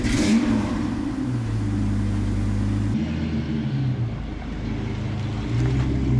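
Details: V10-swapped Ford Mustang started after rewiring the MAF sensor and reconnecting a forgotten main ECU plug: fires and settles into a steady low rumble, throttle blips rise and fall cleanly; normal running.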